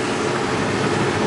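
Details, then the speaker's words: 2001 Ford F450 with 7.3 diesel and 148,000 miles, after a start that fires right up: steady diesel clatter over an even drone, with no knocks or irregular beats. Typical 7.3 noise, louder than 6.7/6.4/6.0 engines; healthy. "now it is a 7-3 so it's not quiet like these six sevens and even six fours or six overs you can hear that diesel noise"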